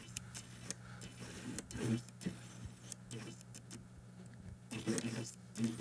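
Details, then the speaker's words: Nikon 85mm f/1.8G F-mount lens while autofocusing: short buzzing, ticking bursts each time focus hunts, loud against a quiet background; noisy autofocus motor. "In order to share what I mean about how noisy this 851.8 is, just have a listen."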